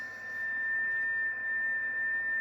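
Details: Yaesu FT-101 receiver: a strong steady whistle at one pitch over faint hiss, unchanged by tuning and not affected by the preselector. A spurious internal RX birdie.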